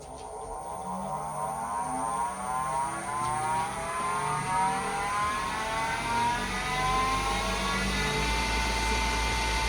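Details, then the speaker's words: New Grizzly G0766 wood lathe, powered up after assembly, spindle run up to top speed about 3,330 rpm (rated 3,200): steady whir with rising whines; owner thinks it sounds like a bad bearing, unconfirmed, plans to call Grizzly. "That's 30. It's range supposed to go up to 3,200. We're at 3,330. So that's pretty fast. I will say though, that sounds like a bad bearing."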